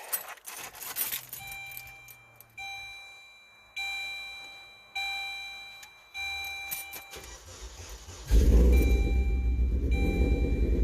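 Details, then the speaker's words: Saturn Ion Redline after installing the replacement supercharger, vacuum lines capped, fuel pump primed: chimes, then engine catches and settles into a steady even idle with no supercharger rattle; normal idle, supercharger sounds much better, though transmission noise remains. "Alright, much better already. And the supercharger sounds much better. Much, much better."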